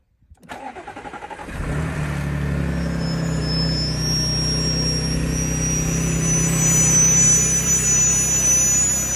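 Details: Audi A6 C7 3.0 TFSI cranks and starts, then idles with a thin, steady high-pitched whine.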